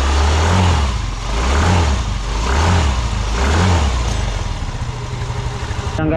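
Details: Mio M3 scooter running normally with a low steady putter after repair; it would not start from lost compression because the spark plug's core had come out, letting air escape, fixed by replacing the spark plug.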